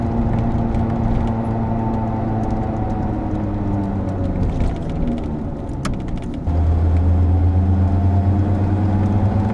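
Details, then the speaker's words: 22-year-old car with 150,000 km while driving: low droning airplane-like hum under road noise, swelling and deepening as speed changes, typical of a worn wheel bearing. "typical noise can be heard for both symptoms this typical noise rise proportionally to the speed of the vehicle rising while it's taking speed"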